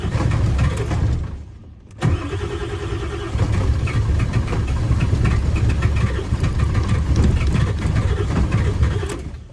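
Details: 7.3 diesel: long, uneven, labouring cranking before it catches into a rough rumbling run. Hard start with extended cranking, cause unclear.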